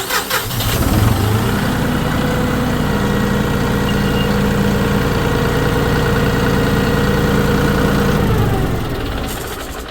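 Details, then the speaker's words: 2017 John Deere 5045e tractor diesel just after replacing weak starter with remanufactured unit: brief brisk crank, fires at once and settles into steady, even idle; starter and engine healthy. "And then just listen to this puppy just start right up."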